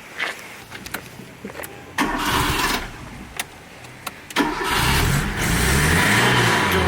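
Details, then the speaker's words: Cheap, tatty old Fiat Panda with a holed exhaust: the starter cranks in short bursts, then the small four-cylinder catches and settles into a buzzy, raspy idle that sounds good. "Beautiful. Raspy. That does go well."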